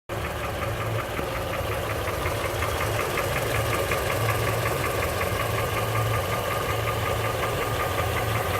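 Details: 2007 Honda CR-V 3 with K24Z1 engine at idle: dull diesel-like knock about three per second, frequency rising with throttle, present for a year; valves adjusted repeatedly, mechanics disagree on cause; engine knock, source undetermined.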